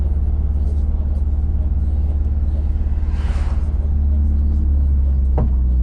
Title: MazdaSpeed 3; 5 to 65 (4th cylinder misfire)